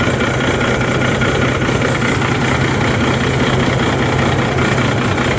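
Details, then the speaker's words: Six-cylinder diesel bus just restarted after fuel filter change, water removal and priming: an uneven, lumpy idle of about two pulses a second over a low drone, possibly on three of six cylinders while crud clears; it smooths out afterward. "be concerned if your bus runs a little rough at first because you're still getting whatever crud through the other lines it may have only started on you know three cylinders or so uh out of the six"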